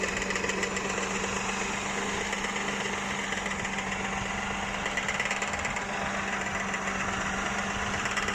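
A fast, fine ticking knock rides over the steady running of the engine; something abnormal inside, but the cause isn't clear.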